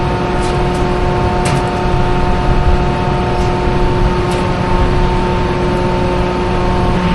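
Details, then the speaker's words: Diesel farm machine sitting in lift mode with the warning light on during particulate filter regeneration: a steady, even high idle with a constant drone, left running to burn the filter clean until the sensor clears it. "It goes to a high idle and you just have to leave it run. Then it sits here and burns fuel and burns all that out."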